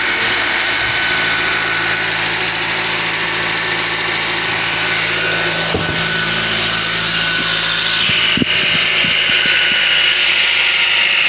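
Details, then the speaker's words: Nissan X-Trail T32, noise at front of engine rising with throttle: steady run with coarse buzz and scattered rattly clicks, two abnormal sounds, traced to worn belt tensioner pulley bearing plus water pump bearing rattle, not engine internals. "And here there are two types of abnormal sounds, yes. Eh, if you are used to hearing sounds, maybe you are more sensitive. Well, here we get two abnormal sounds."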